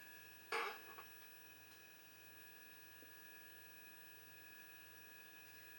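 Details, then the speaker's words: Gallery Apex Force GTX 778 airbrush compressor: very quiet steady faint hum with a couple of soft high tones, no knocking; normal compressor running. "Here we go. Here's that compressor running. Can you hear that?"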